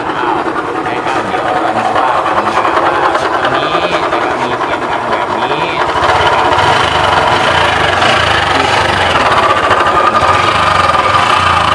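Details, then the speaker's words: Honda Wave 110i motorcycle engine idling with a steady high howl over the engine patter. It was suspected to be a crankshaft bearing, but the howl is traced to a worn camshaft bearing that was noisy when turned by hand. "สำหรับลูกปืนแคมนะครับอ่านี่ก็คือตัวต้นเหตุนะครับที่เราคิดว่านะครับน่าจะจบงานที่ลูกปืนแคมนะครับทุกท่าน"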